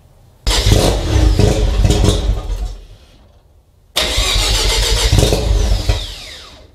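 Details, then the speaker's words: Mazda RX-7 FC3S rotary on a Haltech Elite 1500 ECU, cold start with no idle air control (BAC) valve fitted: two starts each need heavy throttle blipping, then sag away to nothing; rough cold start and stalling without idle air control. "So as you can see, I need to give it quite a bit of throttle even to get it to start up and hold any sort of operating RPM. So we definitely are in need of an idle air control valve."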